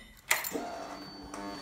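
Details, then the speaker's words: Fuel pump priming at key-on on a 2005 Yamaha R1 former drag bike with full Brothers open-header exhaust and lithium battery, sat three to four years: sharp click then short steady high buzz, normal fuel pump prime. "there's a fuel pump priming it still has a lithium battery in there"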